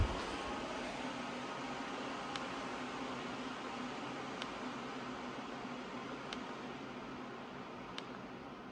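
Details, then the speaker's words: Dyson HP09 Purifier Hot+Cool, replacement unit, at low-to-mid fan speed. Soft, even airy hiss with no motor whine, unlike the older unit's loud whine. Normal quiet running. "It's the same kind of sound, but much, much quieter. And if we speed up, it goes away."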